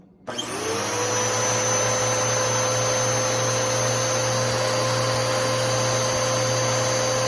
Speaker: all right so anyways this is what the motor sounds like on the new Bissell Power Force Helix 3313